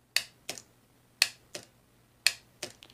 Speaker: so it's clicking but it's not connecting the power it's not turn on my light on which would tell me that it's sending power here this is a bad solenoid is what it looks like